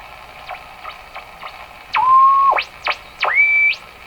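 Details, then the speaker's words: Westinghouse 535 radio after replacing last two capacitors, warming up on outdoor antenna: whistling heterodyne beat tones sweep then hold over faint ticking; set appears to be oscillating. "All those heterodyne tones that you're hearing, beat tones."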